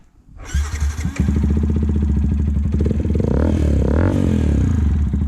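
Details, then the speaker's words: 2009 Yamaha YZF-R 125 with Leo Vince full exhaust, after replacing cam chain tensioner plus injector work and oil change: catches within a second and settles into an even steady idle, loud engine noise gone; tensioner was the cause. "Niveau moteur vraiment ça marche nickel, donc c'était bien le tendeur de chaîne de distri"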